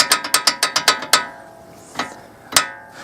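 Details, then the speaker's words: Car brake caliper shaken with wheel off: quick sharp metallic clacks about four a second, then lone knocks; loose caliper plate moving and rattling in its bracket, fixed by adding a washer. "вот наш тормозной супа значит сам по себе вот у него есть небольшое дребезжание но это не он сам пыльник у нас нигде не дребезжит все а дребезжит у нас вот это вот это вот вещь"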